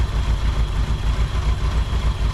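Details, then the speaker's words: 1959 Ford Thunderbird 352 V8 after 33 years parked, started right up with carburetor needing cleaning and rebuild, accelerator pump suspected dead: deep, steady, slightly lumpy but even idle, no knocks. "Started right up. I don't think we have an accelerator pump, so I think we're running off not an accelerator pump. After 33 years, I don't think the accelerator pump's any good. It definitely idles. That's amazing."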